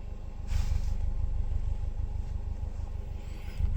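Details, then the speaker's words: Subaru Forester with modified exhaust, petrol engine idling with low uneven knocking about three beats a second, recorded inside; check engine light on with knock sensor code. "You hear the engine inside. You hear that knocking on the motor at idle."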